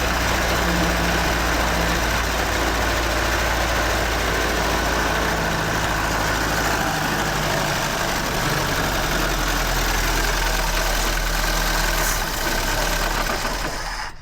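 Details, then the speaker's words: Fire-damaged 1969 Ford Escort MK1 van, crossflow engine, gravity-fed fuel without tank, coil live: engine catches and holds an even, steady run, no misses or knocks. Normal running. "Well, it runs. Must be some oil or something on there. It's running, it's running, it's running."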